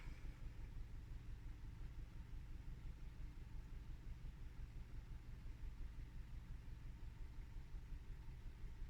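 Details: Low, even rumble with a steady firing beat and no knocks or misses: a petrol Hyundai i20 Elite second-generation top model, heard from inside the cabin, idling smoothly and healthy.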